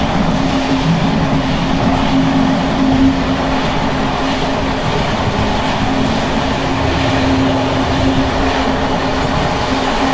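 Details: Bd264 481 coach (built 1979), Görlitz V bogies with many kilometres since last major maintenance, evening express at speed on rough line 190 near Hluboká nad Vltavou–Číčenice, heard from compartment or open window: constant loose rattle and clatter over rail rumble from bouncing worn brake gear.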